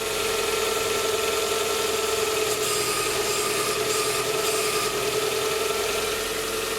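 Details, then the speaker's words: 2010 Hyundai Tucson 2.0 16V manual, idling with steering at full lock after belt retensioning: smooth steady hum, no belt squeal; power-steering pump load previously made belt slip and squeal. "trava mais não canta mais problema resolvido"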